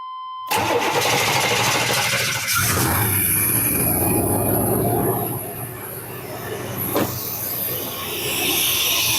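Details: 1990 C1500 first fired after new distributor cap, rotor, spark plugs and wires: cranks briefly, catches and settles into an uneven, slightly lumpy idle; ignition timing needs setting.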